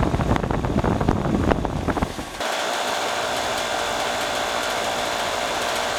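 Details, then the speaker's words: Heat pump condensing unit in heat mode on a cold day, after replacing a rotted liquid line drier and moving it outside: steady, even fan and compressor hum with no knocks. Suction about 60–61, head about 110, acceptable; normal operation. "Suction pressure is about almost 61. It's acceptable."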